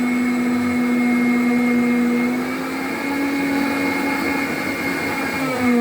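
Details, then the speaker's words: Miele C3 Complete Cat & Dog cylinder vacuum run without bag holder or pre-motor filter, filthy charcoal filter and funny smell: steady high motor whine with wavering, uneven pitch; motor armature failing, judged terminal. "Yeah, I think that is terminal, which is a shame because I really wanted to keep this particular cleaner."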